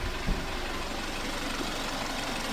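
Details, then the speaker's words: Ex-police BMW G31 Touring at operating temperature after mechanical repairs; a damaged engine mount is still noted. Smooth, quiet, even idle with light fast ticking from the direct-injection injectors: normal warm idle. "and the engine is super quiet. You can hear the injectors ticking because this is direct direct injection engine, but other than that, it's super quiet."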